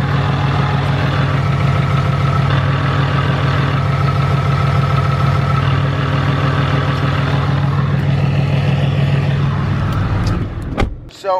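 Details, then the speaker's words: 2017 Cummins diesel truck with new South Bend 3250-GK dual-disc clutch and a single-mass flywheel replacing the dual-mass, heard from outside: steady idle with a fast, even rattle on top, gear rollover rattle at idle. "so first thing I could tell you is that you know the gear rollover from here sounds like a little bit louder like 12-valve old diesel truck"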